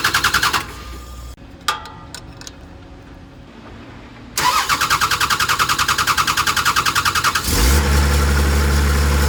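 Starter churns rhythmically for about three seconds, then the engine catches and settles into a smooth, steady run; starts and runs normally.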